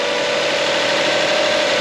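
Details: 2004 Toyota Sienna, first start after a new A/C compressor, timing belt, water pump and drive belts: a smooth, even idle with a steady hum and no knocks, ticks or misses; the engine sounds healthy and settled.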